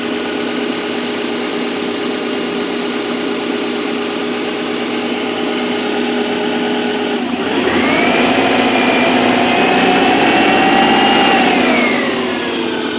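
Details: Subaru, 82,000 miles, cold start at 57°F: light, quick tapping under a steady hum with a brief rev rise, quieting when warm; owner suspects piston slap, present 30,000 miles, dealer said not harmful.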